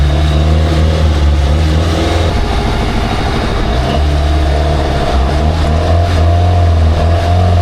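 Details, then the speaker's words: Engine of a free, long-neglected Baretta boat, dirty carburettor: revs strongly and runs fairly well with a faint light ping under load; carb needs more fuel; charging almost 14 volts. "There it is. Yeah, buddy. Has a little ping in it, BUT RUNNING PRETTY GOOD. I need a little more fuel in that carb."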